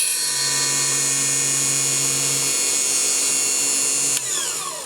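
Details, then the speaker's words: Cheap mini table saw with a roughly 3-4 inch blade cutting a small piece of plexiglass: high, steady whine with a rough, ragged edge as the blade bites, then spin-down; it chipped the plastic a little; owner suggests a different blade, maybe 80-tooth. "so you could hear that it did Chip the plastic a little bit so uh I could probably find a different blade uh maybe an 80 to Blade might be good for Plexiglass"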